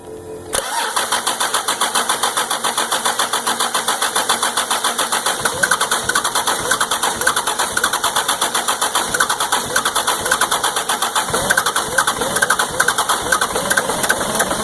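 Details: Diesel engine, 12 V, hard starting: steady, even cranking beats go on for the whole stretch without catching; cause not yet clear.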